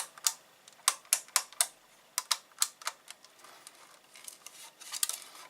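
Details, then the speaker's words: Small cheap strobe light being converted into a solar-powered night light: light irregular clicks and jingles as the lamp housing is moved, something small broken loose rattling inside, to be removed before wiring up. "So I think we should go and wire it up after I've got that bit of whatever's jingling around inside it out."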